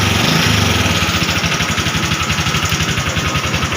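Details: Honda Wave 125R that had a no-start problem and sat for three years, after repair: small single-cylinder bike ticking over with quick, steady firing pulses about four a second; idle sounds healthy.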